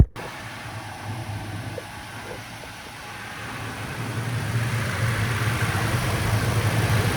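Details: Third-gen Toyota Tacoma just after an oil change with Valvoline 0W20 full synthetic (6.1 quarts), done 500-600 miles overdue: quiet, even idle with a gentle steady hum rising slightly as it settles, no ticking or knocking; normal healthy idle.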